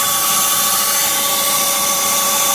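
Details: BMW Z3 1.9 piercing steady drill-like squeal on engine start, occurring sometimes whether cold or warm; AC and fan belt tensioners already replaced, brake pads and rotors replaced, no improvement; belt-driven accessory suspected, cause unconfirmed.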